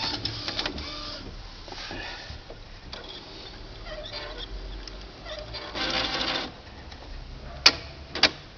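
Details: Epson XP-3700-series printer that jammed its print carriage and made odd noise at power-on: after power cycling, bursts of motor whirring and clicks as the carriage travels and parks, then quiet, a normal initialization cycle.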